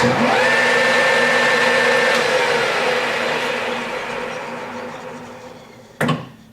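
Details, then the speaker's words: Millport 1340 lathe, 220V 3-phase, spindle at high speed 1800 rpm: steady even gear hum with clean tone, no knocks or grinding, then smooth coast-down; spindle runs sweetly. "And the high speed of 1800. So as you can hear, it absolutely runs beautiful."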